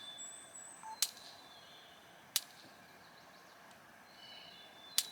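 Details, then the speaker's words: Solar electric fence charger on a new garden fence loop: sharp dry snaps every second or two as the fence wire arcs to ground at a spot where a wrap was left on the back side. "See it arcing there? Arcing the ground. That wire, I got that wrap back on the back side of that."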